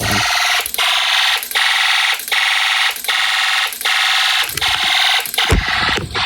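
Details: Snap Circuits fire alarm system test with the horn set to constant: a harsh, high continuous buzz with short regular dips about 78 times a minute. The alarm horn is working normally.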